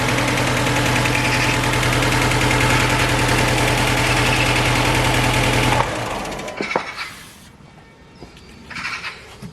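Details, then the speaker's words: 2006 Mercedes A150 (W169) petrol: loud idle with steady chugging beat about three times a second, then shuts off; cylinder 4 misfire from injector 4 open-circuit wiring, fixed by bypassing the wiring. "compression because I checked, but still it's misfiring."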